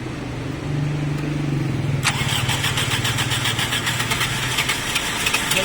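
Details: Toyota car stalled on the road, fuel return confirmed flowing: steady starter churning about three to four turns a second, never catches; cranks but won't start. Tight tappets suspected as cause, not confirmed.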